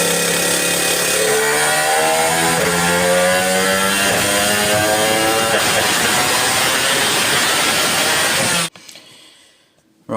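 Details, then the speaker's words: Two-stroke motorcycle with Ignitech ignition revs with a rough stuttering note, misfiring when coming onto the pipe; owner suspects the pickup, its wires looped next to the coil wire and lacking an earth. "I think that's a misfire and I think it's caused by the pickup I could be wrong"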